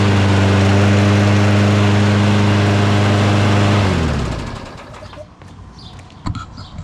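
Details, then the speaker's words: Lawn mower engine just after a new NGK spark plug and a spray of carburetor/intake cleaner; it starts and runs better than before, with a steady, even putter for about four seconds before shutting off; normal running. "it definitely started better and it definitely runs a lot better now."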